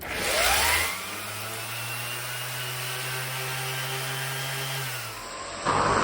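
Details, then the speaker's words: Vintage Porter Cable 333 random orbital sander after replacing a failed lower bearing that caused shaking and vibration: spins up, runs with a steady, even hum, no rattle or grind; normal running, much smoother. "Just like new. A lot smoother."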